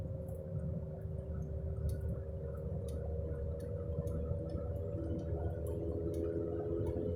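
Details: Roaring, humming noise at 20–30 mph seeming to come from underneath; steady drone holding pitch over road rumble. Left-front wheel bearing hum; tires showed no irregular wear, wheel not loose on shake test; replacing hub assembly cured it.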